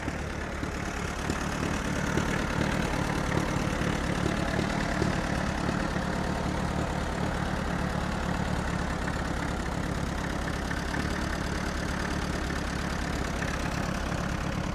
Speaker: Runs pretty good. I like it. Oil pressure is pretty steady around 10 pounds.